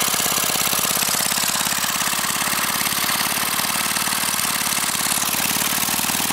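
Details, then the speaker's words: Briggs & Stratton 5 HP single-cylinder engine, sitting unused for years, run without a carburetor on propane from a barbecue grill tank, valve-metered mixture: fast, steady pop with even, unbroken beats, no misfires or surging; normal running. "well now I know the engine runs and even more importantly that it will run on propane"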